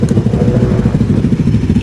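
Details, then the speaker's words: Suzuki Raider 150 FI motorcycle started keylessly via two-way alarm remote after new electrical setup: steady quick idle patter with no misses or knocks; normal idle. "Kahit walang susi yan, may start natin yung motor gamit lang tong remote nya. So ayan, start siya mga sir."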